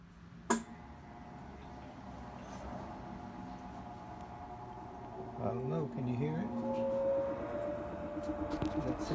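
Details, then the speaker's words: Whirlpool-style washing machine in service diagnostic mode, low spin test after shift actuator fix, lid locked; quiet at first, then smooth motor whir climbing in pitch after about five seconds as drum spins up; healthy normal spin. "so it's in it's spinning now but i want to test the agitate mode too"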